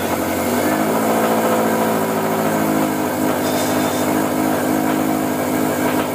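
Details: Rebuilt 2013 Subaru STi engine on its first cold start after priming the fuel system, solid mounts fitted: loud, steady cold idle with an even exhaust beat, no knocks or ticks.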